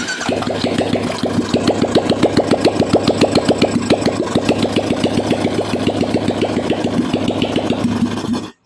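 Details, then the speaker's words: Royal Enfield 350 single at idle, oil pump, rockers and hydraulic cam checked OK: sharp "gat gat" knocking tick on every beat, about three per second; cause excess play in the timing gear settings behind the magnet cover. "तो इसका मतलब यह सही है vial palm भी सही है rocker भी सही है हाइड्रोलिक काम भी सही है लेकिन फिर भी आवाज गट गट गट गट कर रहा है"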